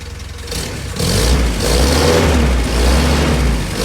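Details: Willys Jeep petrol engine warming up after nearly 15 years unused, revved to check exhaust smoke: low rough idle picking up into a steady heavier rumble as throttle is held, no obvious knocking.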